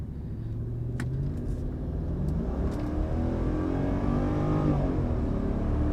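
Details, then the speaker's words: Mercedes CLK 500 at 144,895 miles, hot 91°F day, full-throttle pull on the road after coolant-leak repair: engine note climbs smoothly and steadily over road noise with no knocks, misses or rattles; pulls pretty good, normal acceleration. "Seems to be pulling pretty good. Nothing really crazy."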